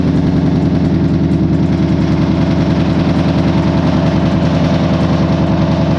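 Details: Ford Mustang GT after wrong fuel (E15 instead of E85) caused codes P0155, P0135, P0443, P0446; blown fuse replaced: steady, even idle with regular low pulse, no misses or knocks; air-fuel and ethanol gauges working again.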